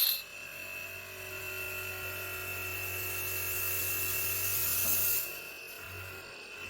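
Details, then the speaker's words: Fridge compressor pressure test, gauge passing 500: steady low hum with faint even hiss, no knocking or rattle; compressor runs normally and builds pressure well. "देखिए अगर आपका pressure ब अच्छा होगा तो देखिए इसने 500 भी प्रेशर भी क्रॉस कर दिया इस तरीके से आपका कंप्रेसर टेस्ट हो जाएगा"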